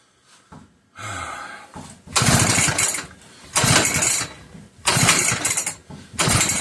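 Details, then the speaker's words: McCulloch 1-52 chainsaw clamped in a vise, with strong compression and confirmed spark: repeated rough rasping pulls about every 1.5 seconds with no firing. It is suspected to be flooded. "I think it tried. Come on, old girl. I know this thing has spark. So, it's just probably flooded with a lot of fluid."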